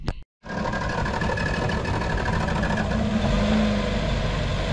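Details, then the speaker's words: Nissan Teana J32 with rough idle, engine shake and occasional stalling: lumpy uneven idle with irregular shake; owner first guessed ignition coils, cause found to be an air leak past a hardened intake gasket. "ก็สวัสดีครับช่องเองอีกแล้วนะครับวันนี้นะครับมาแก้อาการครับนาเป็นตัวนี้ครับเป็นTeanaj32ครับเป็นที่น่าตัวซี32นะอาการมีอยู่ว่าเดินเบาไม่เรียบเครื่องสั่นนะครับแล้วก็ดับกลางอากาศก็มีนะครับ"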